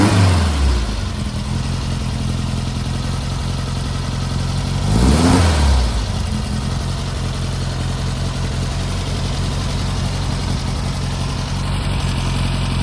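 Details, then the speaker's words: Brubaker Box with a newly installed air-cooled engine at its first start: an even, chuffing idle with one quick blip of revs that settles back cleanly. The engine runs healthy. "but that engine sounds healthy digging it"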